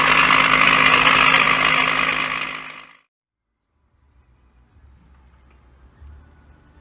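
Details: 2007 Toyota Crown Majesta (UZS186, 3UZ-FE, 192,431 km) air suspension compressor: harsh rattly buzzing whir then shut-off; mount bushings replaced without change; disassembly found play in the motor bearing, worn compressor motor bearing.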